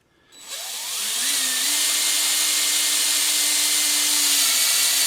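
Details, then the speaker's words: Newly rebuilt 347 in a Mustang after winter storage, oil pump primed with a drill before first start: steady high whine holding even as the pump picks up oil and pressurizes the crankshaft bearings. "She's picking up oil. She's getting a lot of oil. I got to turn the pressure up the other way. Now I'm pressurizing all the bearings on the crankshaft."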